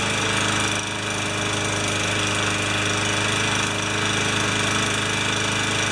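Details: Older Yard Machines mower with a Tecumseh engine, found with no maintenance and no oil, running after a full carb clean and repair: a steady, even single-cylinder drone at fast governed speed with no misses or surging. It runs clean.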